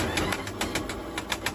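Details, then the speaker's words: Electric low-speed four-wheel car, about one year old, wheel jacked up and spinning unloaded: sharp regular clicks about seven a second, the same on both sides. Worn bearings or gears in the motor or differential are suspected. "两边都有这个声音，声音是一样的，很有可能就是电机或者差速包里边的轴承或者齿轮损坏了。"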